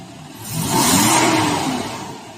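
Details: Toyota Fortuner gasoline, with catalytic converter refitted, previously low power, rattle, misfire and little exhaust flow: one clean rev rising and falling smoothly, no rattle or stumble; power restored, quieter, normal revving.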